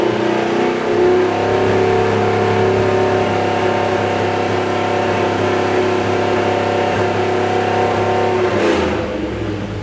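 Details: Rebuilt big-block Mopar 483 stroker V8 held near 4,000 rpm: slightly uneven, stuttering exhaust beat; timing mark starts bouncing around 4,000, with what sounds like a miss as the timing scatters.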